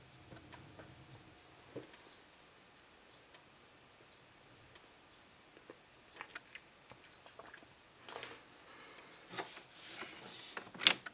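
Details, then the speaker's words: Faraday 6120 horn/strobe fire alarm from the 80s or 90s under test: soft, sharp ticks about every 1.5 seconds in a quiet room, no capacitor whine, only the click at a slow flash rate; normal strobe click. "I don't hear any capacitor sounds like a uh later strobe like sort of like what they sound like today little no noise to them at all except that click awful slow flash rate though"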